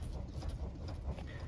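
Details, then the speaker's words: 1973 Ford LTD with a 460 engine after spraying white lithium grease on the steering shaft rubber boot near the rag joint: the wheel turns smoothly with only a low engine rumble and no squeak. "you don't hear anything turn smoothly"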